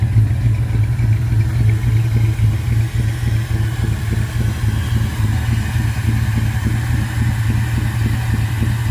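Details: 1979 Ford Ranchero V8 after a carburetor rebuild and jet change: a deep idle with a loose, uneven pulse and some clatter over the exhaust. Not running right; owner suspects vacuum problems.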